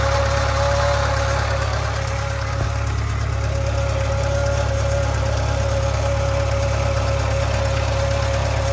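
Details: 2013 Subaru 2.0 Boxer at idle: persistent mid-pitched hum with a faint regular knock underneath; knock and hum from the engine, cause unknown.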